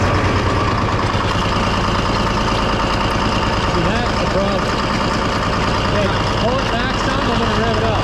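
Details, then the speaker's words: Detroit diesel-powered car crusher at idle, hydraulic pump not pulling oil from the tank: a coarse, gravelly cavitation churn. Owner suspects the suction line or stem is plugged, possibly with ice or sludge, rather than the pump. "please so it's still cavitating big time now why the pumps [ __ ] no no i think it's something to do with the suction line"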